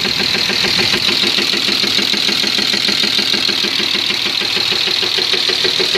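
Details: M50 engine idling steadily with an even light knock about three times a second over the engine's hiss; the owner can't identify the noise and asks what it is. Engine knock, cause unknown.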